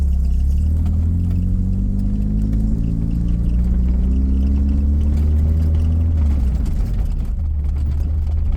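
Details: 1984 Dodge Omni GLH accelerating hard with the pitch climbing steadily toward almost 6000 rpm. The usual lean-knock pinging is no longer heard after the fuel fix; owner thinks it's gone.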